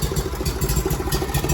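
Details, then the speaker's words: Miller Bobcat 225G welder-generator, unused for years, started with a little choke after fuel line and fuel pump work; settles into a steady even idle with no misses before going to the rest position. "It's at idle."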